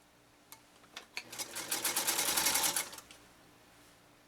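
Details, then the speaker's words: Restored Singer 192K Spartan (0.80 amp motor) sewing a single layer with no difficulty: quick, even ticking building to a steady rapid stitch and stopping cleanly, no labouring or knocking; normal running. "I tell you one thing it's not having any difficult with a single layer that's for darn sure"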